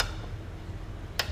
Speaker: that way you can push the mower, and that's probably what was making that clicking. And it's a one-way clutch, like a sprag, you know, like a transmission or something has, I assume.